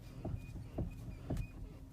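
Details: Kia Ceed 2 (JD), about 18–19,000 km, steering wheel turned back and forth at standstill: three dull evenly spaced knocks; clicking began near 12,000 km, persisted after warranty steering shaft and electric power steering replacement, steering rack to be replaced.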